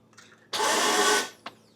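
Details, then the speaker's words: Vauxhall Vivaro no-crank with a starter fitted elsewhere; a missing engine earth was found and fixed. The starter now gives a brief high whir with no engine turnover, freewheeling without engaging; flywheel or ring gear suspected. "doing everything start m is not engaging I know start m is Duff I don't know I didn't fit it that was the fault"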